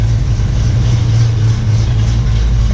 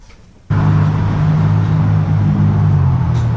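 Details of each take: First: 1967 Ford Mustang 289 V8 just after rebuild and first start, before timing set; small fuel leak at pump-to-regulator line; runs nice and smooth, deep even idle rumble with no knocks or misses. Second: 1967 Mustang 289 V8, first start after rebuild, timing not yet set. Steady cranking, coughs without catching. Plug wires fitted clockwise but distributor spins counterclockwise, so firing order reversed.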